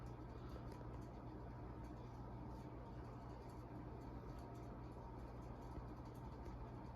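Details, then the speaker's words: TAT UFO 36-inch ceiling fan running above medium speed: steady low hum with a coarse rumbling growl beneath; bearings sound a little rough, with wind and wind chimes audible outside. "you can now hear the bearings a little bit I think yeah bearings are a little rough on this fan"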